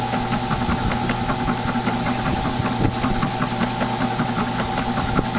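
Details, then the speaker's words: Old ten-dollar flea-market drill press running: steady motor hum with a whine and irregular light knocking about once a second; spindle has a lot of play and sloppiness, likewise noisy like the owner's bigger one. "but it seems to be a little noisy because the big one in the shed is like this too and that was brand new when i bought it"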